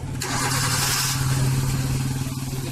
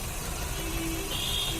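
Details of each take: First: Maruti Suzuki Swift petrol/CNG engine after replacing failed No. 3 ignition coil that caused idle hunting, misfire and pickup problem; now settles to steady even idle without shake or misfire, air filter open. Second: Maruti Suzuki Swift petrol/CNG running on petrol with a rough, vibrating idle: a lumpy misfire with RPM hunting and a pickup problem. The ignition coil and plugs were checked cylinder by cylinder, and the fix was ignition coil replacement.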